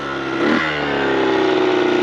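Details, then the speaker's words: Kawasaki KX100 two-stroke on a paddle tire in sand, first ride: revs up, then holds a flat, muffled drone that won't clean out or climb under load, like a rich bog at full throttle; owner suspects carb, small tire or tire pressure. "Or got this carb running better. I didn't think it'd be this bad. It sounds like shiitake."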